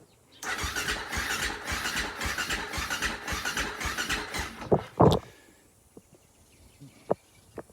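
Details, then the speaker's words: Husaberg FE450 that didn't run, after valve adjustment with the cam cover refitted: steady starter cranking at about three and a half compressions a second for four seconds, never catches; cranks, no start. "the spark plug in the spark plug wires disconnected we're turning over a lot better let's hook up this spark plug wire I'll see what happens"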